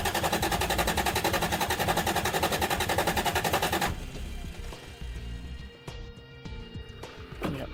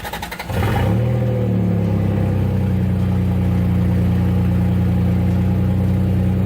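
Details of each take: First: Turbocharged Toyota 3VZ-E cranking evenly, about three to four beats a second for four seconds, never starting; fuel pump not coming on, no power through its line, pump believed good; jumper from battery planned. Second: Turbocharged Toyota 3VZ-E after wiring the fuel pump directly from the battery through a toggle switch: brief cranking, catches within a second and settles to a strong, steady, even idle; starts and runs fine.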